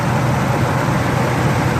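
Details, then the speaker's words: Ford 4.6 Triton V8 after removing a broken spark plug and fitting a new one: steady, even low idle rumble, with a slight remaining miss and smoke from oil, grease and WD-40 burning out of the cylinder. "Running pretty smooth. I think we got it."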